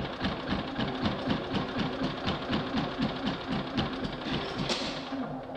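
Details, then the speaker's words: Champion 3100 inverter generator after a service, oil change and pull-cord repair: small engine chugs unevenly, about four beats a second, hardly runs, choke makes no difference, then shuts off; electronic-carb stepper motor, traced to a faulty control unit. "anyways this is what it does when you fire it up so i came to me for a service and oil change and then fix the pull cord after the service was done when we went fired up this is what i was doing hardly runs choke doesn't make a difference"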